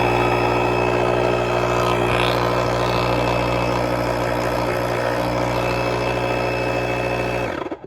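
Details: Portable jump starter with built-in air compressor, twisted-in hose, running on a preset: steady even motor hum at constant pitch for about seven seconds then winds down; pump working normally.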